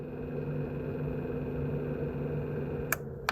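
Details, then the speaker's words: Pixel controller box cooling fan switched on by a temperature controller at a 47-degree setting: soft, steady fan hum with a constant low tone, then two sharp clicks near the end; fan runs smoothly and normally. "And if I be a little quiet, I think you can hear and see the fan move. There it's going."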